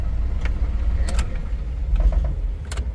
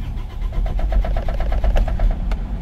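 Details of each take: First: Isuzu Travis 4JA1 diesel with P0336 code and hard starting, after repair: a few cranking clicks, then it catches promptly and settles into a steady, even idle; starts quickly with the check engine light now off. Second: Isuzu Travis 4JA1 diesel with check engine light, code P0336, no tachometer reading: steady starter cranking with even chugging pulses for nearly three seconds, slow to start; crankshaft position sensor failure causing hard starting.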